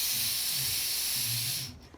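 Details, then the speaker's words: KBB remote sensing fire valve on an oil stove's vaporising pot burner: a steady, high hiss for about 1.5 seconds that cuts off cleanly when the valve is switched off. Oil and air flow normally through the open valve. "so I'll just demonstrate how this works so you can hear air going through it or oil going through it"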